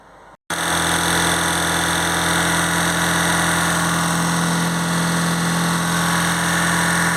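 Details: Ford Anglia fitted with Mazda MX-5 four-cylinder, idling on only two cylinders after a developing misfire; cylinders 2 and 3 reportedly work, 1 and 4 dead, sharing a wasted-spark coil; lumpy uneven beat with hollow drone; coil or injectors suspected, ECU ruled out.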